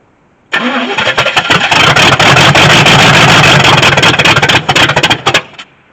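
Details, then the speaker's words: 1983 Chevy C10 squarebody, left 10+ years: catches abruptly, runs ragged with uneven pops and stumbles about five seconds, then sputters out while priming fuel bowls; owner suspects timing off or fuel burning off fast. "Alright, it's trying to kind of spit and sputter, so the timing's off a little bit, but it's running."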